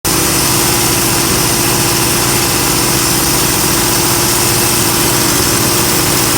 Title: Possible Intake Vacuum Leak